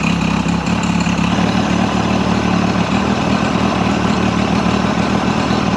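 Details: Mercury 50 hp outboard after timing set: even, steady idle with light clatter, no misses or surging; running smoothly, idling about 7800 RPM on the timing light divided by two.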